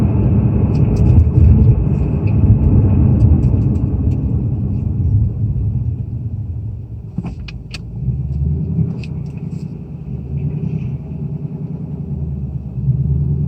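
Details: 2018 Mustang GT Performance Pack Level 2 (Coyote V8), cold start: deep rumble with an uneven rattle and a few sharp clacks, then light revving; owner suspects piston slap, says it is not the high-pressure fuel pump; unconfirmed.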